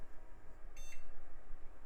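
One short clean beep at power-on over steady fan hum; the machine passed its self-test and is starting normally.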